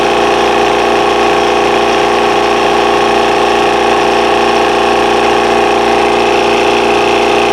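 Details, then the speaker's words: Air compressor during a tune-up: steady hum with an even pumping pulse about two and a half times a second while losing air at a fitting, which is being tightened to stop the leak. "so let me just tighten this up see if that stops the leak that's right"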